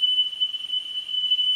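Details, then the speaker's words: Pioneer CT-W205R double cassette deck during service, azimuth alignment on a 3 kHz test tone: steady pure tone, slightly muffled and dull; head azimuth being adjusted for the highest pitch, 10 kHz check next. "and as you can hear what i'm doing is i'm listening for that tone to be as high pitched as possible and at the moment i'm doing it on 3 k i will shortly do it on 10k"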